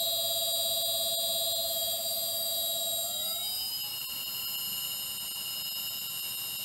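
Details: New replacement three-phase motor for a shaper, run off the floor on an inverter ramping up from about 16 Hz: high electronic whine climbs in pitch, then holds steady and even; a little noisier than the old ABB motor but healthy.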